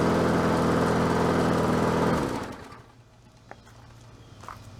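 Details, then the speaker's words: Bolens 22-inch self-propelled mower, revived after purchase: the engine holds a steady, even beat, then winds down smoothly. It runs normally and the self-propel drive works. "it sounds good what do you think I think I needs need to run it a little bit more"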